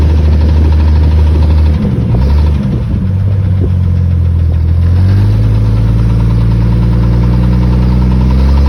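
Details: 1997 Jeep XJ 4.0 six-cylinder humming and revving up, with a light ticking or clicking under load while accelerating.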